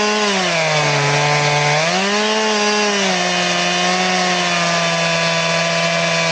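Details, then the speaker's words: Chainsaw with chain sharpened to a 10-degree filing angle, ripping a round: engine note drops and drags under load, cutting very slowly as if the chain were dull. "It's almost like it's a dull chain is what it acts like."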